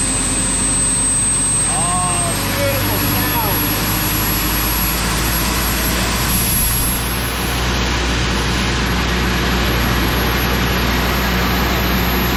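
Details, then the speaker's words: Old Sullair 185 gas compressor after carburetor rebuild, running off a small plastic tank with ignition wires joined by hand; smooth, even drone with steady low beat, no misses or knocks. "wow that's nice well I think that's the best money that I've spent recently that works really good this baby runs so good on my little plastic tank"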